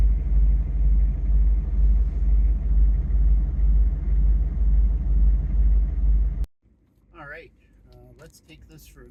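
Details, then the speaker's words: Chevy/GMC 6.5 turbo diesel started after fitting a new PMD (pump mounted driver) and a higher-value resistor: deep, even diesel clatter about twice a second, starts and idles smoothly with no stumbling. "we're going to uh fire the truck up here and see how uh how it sounds how it starts with the new PMD and the higher value resistor"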